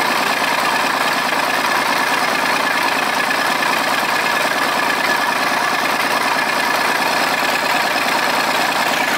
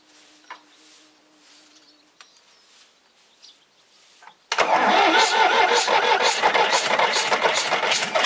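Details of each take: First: Volvo 320 tractor, Perkins diesel, first start after repair (valves adjusted, injectors, filters, oil changed, rocker cover off): loud, even idle clatter about two beats a second, no misses or hunting; running normally. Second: Volvo 320 tractor with indirect-injection Perkins diesel, first start after repair without glow plug, valve cover off: rhythmic chuffing puff about three a second from an injector blowing past its seat; fixed by resealing. Injector seat blow-by.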